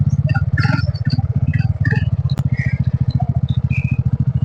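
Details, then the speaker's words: New TVS XL100 moped after kick start: small single-cylinder puttering evenly at about three and a half beats a second, steady and clean; normal idle. "ಹೊಡೆದು on ಮಾಡಿದ್ದೆ, ಅದು on ಆಯ್ತು. ಹೊಸ ಗಾಡಿ ಅಲ್ವಾ, on ಆಗಲೇಬೇಕು."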